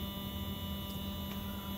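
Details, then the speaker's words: Rebuilt Athearn Genesis MP15 model locomotive with new Mashima motor and NCE DASR decoder, clamped on bench: steady even low hum, smoother than before, drawing about 0.05–0.06 amps; running healthy. "but actually it sounds smoother I don't know if that I don't know if you can pick up to me this sounds way smoother"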